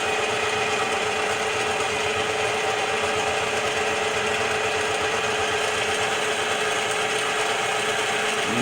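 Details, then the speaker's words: Bench-top DIY CNC mill making its first facing cut on a small steel piece, oil as lubricant, feed override 0.4; steady hissy cutting with even spindle tone, no chatter or squeal, clean normal pass. "almost halfway through the cut so far so good i don't see anything catastrophically"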